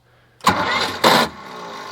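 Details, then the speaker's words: Cheap 4x4 diesel man-lift that sat, with fresh battery and losing fuel prime: two harsh grinding cranking bursts with a puff between, then dies; starter grinding, one cylinder suspected not firing; hard start, cranks but won't run. "I threw a fresh battery in this thing really crossing my fingers hoping she fires up here ready contact foreign keeps giving me a solid puff but not enough to keep her running"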